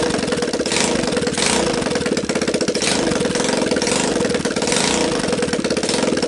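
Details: Linhai Talon 300 4x4 ATV engine bench-tested outside the frame after being freed from seizure, PZ27 carb taped onto the intake, cheap 12VDC CDI, choke on, first start: quick, even single-cylinder firing at steady speed, no knock or misfire; runs well.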